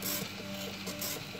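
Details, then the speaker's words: Prusa i3 MK2 3D printer, noise growing over weeks: raspy scratching/creaking on every downstroke over steady stepper tones; source unknown, owner suspects extruder motor or belts; print quality unaffected. "every downstroke here it makes that sound and I have no idea what it is"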